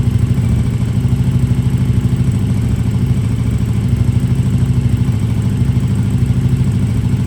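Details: KTM RC8R with a swapped 2020+ third-gen 1290 Super Duke engine and electronics, first start after the swap: deep, even pulsing idle at a steady rate, no misses or knocks; normal idle.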